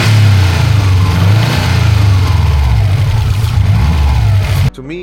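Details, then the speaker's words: Rebuilt Subaru WRX after first test drive, over-fuelling with black smoke, no boost past 2,000 rpm, aftermarket module and cut wires found: deep, lumpy, uneven tractor-like rumble, struggling to build boost; cause suspected, not confirmed. "it just sounds like a tractor. It definitely sounds like it's struggling to build boost."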